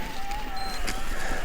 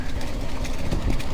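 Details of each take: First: Cannondale Moterra SL2 e-MTB, size XL, about 47 lb, on a steep climb in assist mode 3. Steady mid-pitched motor hum, noticeable but not super loud, with no grinding or clicking. Normal motor under load. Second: Cannondale Moterra SL e-MTB with Shimano EP801 motor on a downhill descent: loose irregular clattering over trail noise, very noticeable even on mellow descents; rider suspects the drive unit or drivetrain, or rocks hitting the down tube.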